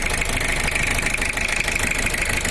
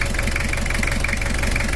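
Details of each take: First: Toyota Kijang LGX with 2L diesel engine, owner complained of leaking-compression sound and rough uneven running; rough idle with hard knocking clatter about three beats a second and hissing blow-by; teardown found cracked pistons. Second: Toyota Kijang LGX diesel, 2L engine, after repair and cleaning: steady idle with a light, even clatter, a slight crackle typical of older models, neither too dry nor too harsh; normal diesel idle.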